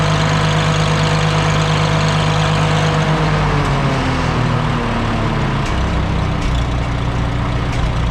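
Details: Antique Farmall H tractor with a newly rebuilt carburetor after a fuel-system cleaning: a steady, even low idle rumble that dips slightly mid-clip, then holds smooth with no misses or knocks. Runs well and the carb does not leak.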